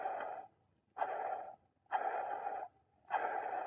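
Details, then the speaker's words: 2012 Ford Mustang 3.7 L, removed old water pump with pulley play, spun by hand: rough, gritty growl in short bursts about once a second; worn water pump bearing growl, replaced with a new pump. "So, that's old water pump there. As you can see in here is where it started to fail. You can hear it just growling."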